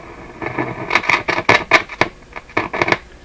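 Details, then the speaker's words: Nordmende Norma Luxus tube radio, warm not hot; irregular bursts of sharp crackle and scratching with no steady rhythm; owner blames poor tube pin contact, suspected not confirmed. "every time we turn around that's a two contact problem how can these tubes have such bad contact"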